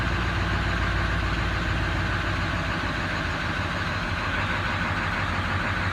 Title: 7.3 powerstroke rough idle .HELP!.!